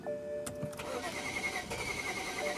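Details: BMW 335i towed in, crank no start with DTCs 2DD6 and 2DCF. Cranks with a rough, uneven whir but never catches, and a possible compression problem is suspected.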